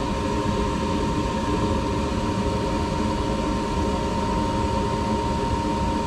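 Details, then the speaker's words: Furnace heater after new inducer motor fitted (customer reported loud screeching/buzzing and no heat): steady, even hum with constant mid-pitch tone, no squeal or buzz; inducer running smoothly. "all right let's test this seater that's more like it that is more like it"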